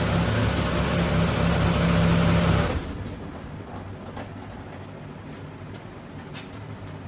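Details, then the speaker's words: 1997 Chevrolet S10 2.2 L four-cylinder after replacing the downpipe with a new flex section and gaskets; low, steady idle with no puffing or ticking from the manifold area, exhaust leak fixed and quieter. "um it definitely did fix whatever exhaust leak was up here I don't know if it was caused by just a a gasket or if that Flex section was leaking um but it's definitely quieter"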